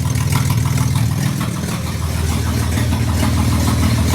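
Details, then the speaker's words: Replacement engine for SLK320 with 231,000 miles, running without jump box after several restarts: even, low idle with a steady pulse, no shake or knock; earlier smoke cleared, alternator charging, owner doesn't think motor is blown. "Not bad. No shaky shake? Not bad at all."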